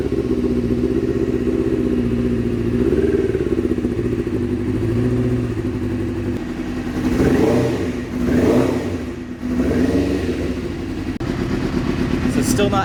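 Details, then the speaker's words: 1997 Suzuki GSX-R750 first start after valve/cylinder head work, on choke: uneven stumbling run that blips and sags, number one cylinder not firing and cold, no fuel reaching it; suspected stuck carburettor float needle. "Okay, so the number one cylinder was still cold. no fuel coming out of it. So, it's probably just a uh stuck needle."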